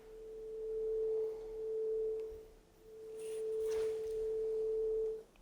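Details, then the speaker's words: 30-year-old Soundtracs JADE 32 analog mixing console, long channel fader test: steady pure test tone swells and fades smoothly with no crackle or dropouts, fader feels smooth; clean signal, no fader crackle. "and it's physically feeling really smooth [Music] and there's no crackle in this at all which is what we thought from the beginning as well because all fader seem to be working good"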